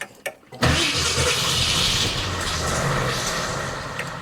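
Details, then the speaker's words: Grandfather's 1966 Ford Thunderbird V8 after years of neglect, throttle not hooked up: a couple brief cranks, catches almost instantly, settles into smooth even idle; normal start. "And she just started right up, and look how smooth it's running. This is incredible."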